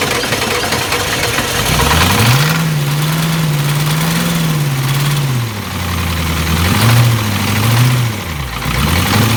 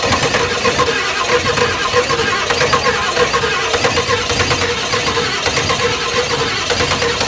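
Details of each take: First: 7.3 IDI diesel after top-end rebuild, sat 11 years, running on jerry-can fuel: revved up and down a few times, climbs and drops smoothly, settles to even idle, no knock or miss; normal diesel running. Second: Ford 7.3 IDI diesel, first start after top-end rebuild and 11 years sitting, on ether and a jerry can fuel supply: slow uneven chugging with rough hissy background, labouring to catch and keep running; hard start.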